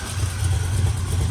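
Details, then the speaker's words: 1972 Oldsmobile Cutlass Supreme V8 running briefly on fuel poured into the carburettor bowls, fuel pump delivering nothing: deep even rumble, no rattles, knocks or ticks; engine sounds good before running out of gas. "And good news is that the engine does sound good. It doesn't have any rattles or knocks in the motor."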